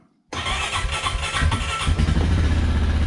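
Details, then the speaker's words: Honda Rancher 420 cold start at 23 degrees outside: catches instantly with no long cranking, then settles into a steady, even low idle; a healthy cold start. "see it fires right up and that's cold so you know that's kind of like what i expect out of a honda with a cold start even when it is 23 degrees outside"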